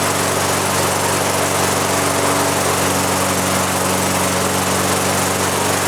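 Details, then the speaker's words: Lawn mower converted to propane with an added pressure regulator, fuel valve wide open: small single-cylinder engine running fast and even, a steady buzzing drone with no surging or misses; governor holds RPM. Normal governed running. "you can immediately turn it wide open and the fuel pressure regular takes over the governor on the engine sees that extra Fuel and it comes up and sets the RPM at the right spot so you still are fully govern and whatnot"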